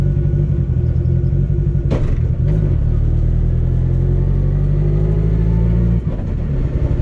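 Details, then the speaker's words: NFT drag car on a test drive around the block with light throttle and low power on a back road. Smooth, even engine pull with clean shifts and no thump or shudder; the driveshaft feels smooth with no vibration. "yeah it sounds good feels good no vibration feel test drive went good everything felt fine uh drive shaft felt smooth there's no crazy vibrations"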